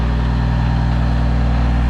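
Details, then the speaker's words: Peterbilt cabover truck diesel held at fast idle via cruise control after throttle fault began working again: deep steady drone, no knocks or hunting; engine sounds good though transmission is failing. "So now look at this. I got him fast idling, and the cruise is working, the fast idle's working."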